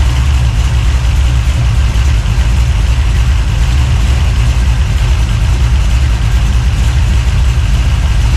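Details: 383 stroker small-block V8, freshly built and swapped into a 1970 Monte Carlo, at first fire-up in the car: deep, choppy idle with an uneven loping beat around three pulses a second, steady; normal big-cam idle.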